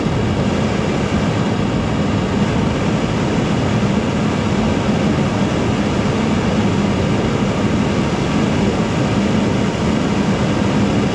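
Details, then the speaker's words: Foundry furnace gas burner after the tube was cut shorter and a better regulator fitted, run at about 5 to 10 psi: even, unbroken roar with no pulsing or sputter; the burner is firing steadily. "okay i like that regulator that is way better than these ones and this worked way better cutting that off"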